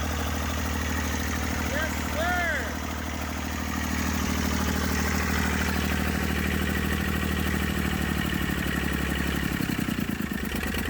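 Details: Massey Ferguson 35 diesel tractor, 20+ years in woods, freed up, starter failed, tow-started in third high until it fired after about 300 yards: steady low thrum, even beat, no knocking; normal running.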